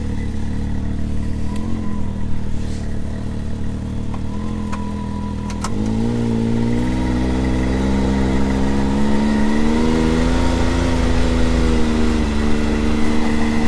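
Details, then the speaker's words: 2022 Can-Am Maverick X3 DS Turbo 120, stock primary clutch before P-Drive install, engagement around 2100 rpm: engine climbs and a rough, uneven rattle rides on top at about 5100 rpm, stock CVT primary clutch rattle. "about 5100 RPM there it is so that's what we're hoping to cut down a little bit of"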